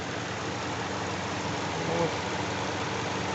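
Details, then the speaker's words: Hyundai i40 2.0 G4NA at 41,175 km, warm idle after an engine overhaul for knocking from scuffed cylinders: block bored, 0.50 oversize pistons. Smooth, even idle with no knock, only light injector ticking under the cooling-fan rush. "почти работу двигателя включился вентилятор слышны только форсунки"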